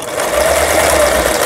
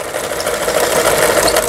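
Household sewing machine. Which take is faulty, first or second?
first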